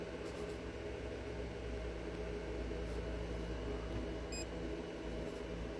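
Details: Bluetti AC200MAX solar generator charging, 480 W input at 40% charge; its internal cooling fan gives a steady, even low hum with no rattles or surging, and the unit sounds healthy.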